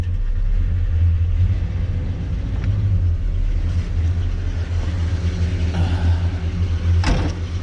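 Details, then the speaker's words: 1978 Chevy El Camino, carbureted, AC converted from R12 to R134a, AC switch engaging the carburetor up-idle solenoid, after adding condenser fan: deep even rumble holding a steady idle with AC on, no misses or knocks; runs smooth. "There's a 4th thing controlled by that AC switch, and that is the up idle solenoid on the carburetor."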